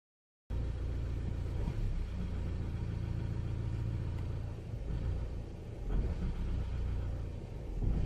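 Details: Opel/Vauxhall Vectra C idling unevenly, rumble sagging and surging every few seconds instead of holding steady; unstable idle, cause not confirmed, throttle body potentiometer suspected.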